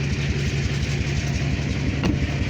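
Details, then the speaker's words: Chevy diesel truck ("Dirtymax") idling in driveway after months unstarted, engine light on, about 40-60 psi oil, water ~100; shaking with lumpy, uneven rough idle; owner plans replacement engine. "But she ain't too bad. She's shaking, but can't wait to get the new motor in her."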